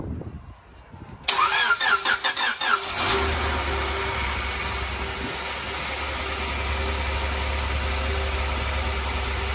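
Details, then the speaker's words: Honda Integra at its first start after an LS-VTEC conversion and tune upload: it cranks and fires, then settles into a hissy, slightly wandering idle. A massive vacuum leak comes from a gap behind the throttle body. "So after starting the car, we found a massive vacuum leak, which is coming right off the back of the throttle body."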